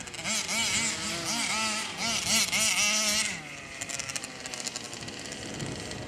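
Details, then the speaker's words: 1/5-scale RC two-stroke (Losi 5T with Taylor 71cc Supreme, or Outlaw Twin 70cc): revs wail up and down in bursts, then a ragged popping stutter. It is choking and not running healthy. "Yeah, something is choking. You can hear it, it's choking, it's not running healthy."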